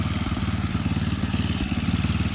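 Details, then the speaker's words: Old John Deere snowblower after minor repair, started by hand pull: small single-cylinder engine chugging at a steady even beat with no misses or knocks, running smooth and healthy. "it uh it didn't need too much and it works great."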